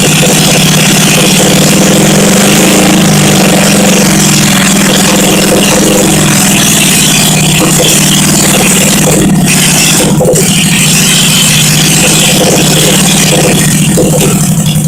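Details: 1971 Honda SL350 first start after engine rebuild, kick-started on choke with carbs primed, points ignition on temporary battery feed, no throttle connected; steady loud even fast idle with some rattle near the end, running normally.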